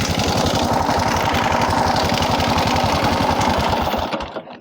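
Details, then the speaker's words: Honda Supra X 125 motorcycle engine idling with a loud, harsh, clattering knock; cam chain replaced and valves adjusted without fixing it; connecting rod knock from oil starvation. "di sini masalahnya motornya itu berisik jadi di bagian mesinnya ini timbul suara kereta ya jadi sangat berisik sekali"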